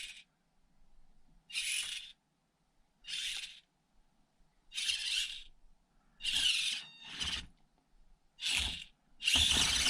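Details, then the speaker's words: Cheap blue China aftermarket brushed ESC on 2S in SCX24 micro crawler: short shrill whine bursts with each throttle blip, jerky uneven start; not smooth, annoying noise, poor low-speed control. "can you hear the noise not smooth at all and annoying noise too so no crawler you see"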